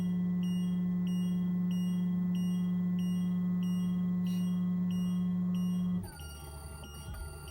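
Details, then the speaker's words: 2007 Itasca Suncruiser 35L motorhome auto-leveling jacks on a slope: low steady pump hum with a high beep repeating about every two-thirds of a second, cutting off when the jacks stop; cause of the noise unknown. "You might hear it making some strange noises like you just heard. I don't know why it does that, but it does."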